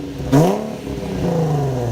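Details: Nissan 350Z back on the ground after switching from a broken, dragging test pipe back to the OEM catalytic converters: the engine catches with a quick flare, then drops to a deep, even idle with no puffing, ticking or rasp; the exhaust sounds sealed and healthy.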